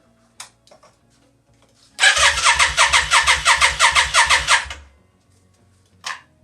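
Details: 1992 Yamaha Virago XV535 V-twin after engine rebuild: about three seconds of even starter cranking, roughly three pulses a second, never firing; crank no start, no spark found.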